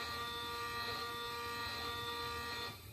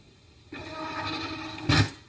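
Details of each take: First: Printrbot Jr. 3D printer Z-axis stepper, the slowest axis, jogged from host software after assembly. Quiet, even buzzing hum for under three seconds as the Z moves up a little, then stops; normal stepper movement. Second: Printrbot Jr. 3D printer Y-axis stepper motor: a harsh buzzing screech holds one pitch for over a second as the motor stalls and keeps pulling at the end of travel. Caused by the Y-axis wiring being reversed from the factory.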